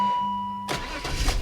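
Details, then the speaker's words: 1997 BMW 525i E39 after new NGK spark plugs, gaskets and ABS sensor: short crank, catches at once and settles into a smooth, even idle; healthy start. "does fire right up"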